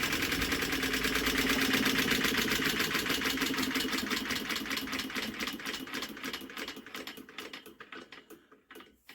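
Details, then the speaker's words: WWII generator set JAP 2A engine mid-rebuild, spun over during spark test without piston rings or head gasket fitted yet; quick even ticking winding down, no rumble or grind. Normal bearings when turned over, earlier bearing noise gone. "Wow, isn't that good? And don't that sound better? We've got no horrible bearing noise now."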